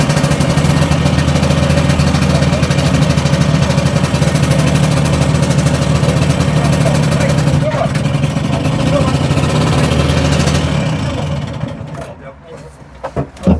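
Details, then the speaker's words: Two-stroke tuk-tuk after replacing the burnt starter relay with an Audi one and reattaching a loose carb vacuum pipe: steady, even low putter holding several seconds before fading; starting reliably now, though carb may need tickover adjustment. "Right, well that's starting reliably now anyway."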